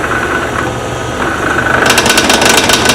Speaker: I know it's not round yet for two reasons number one I can hear it number two I can feel the tool still advancing into the air where that one spot is